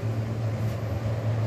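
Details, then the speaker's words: Newly installed exhaust fan running: constant low hum and steady airflow rush with no rubbing or rattle. It is quieter blowing outward and louder blowing inward; the motor runs normally and is just loud in that direction. "ini ngebulnya keluar suaranya agak pelan tapi kalau ngebulnya ke dalam lebih kenceng suaranya"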